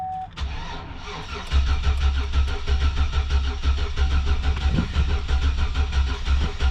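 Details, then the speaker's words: 2004 Chevy Silverado cranking on a jump box after its crankshaft position sensor was replaced with a junkyard part; even cranking about three beats a second, never fires. Later suspected cause is jump box voltage dropping to about 8 V. Crank, no start. "So it doesn't seem like she's working still."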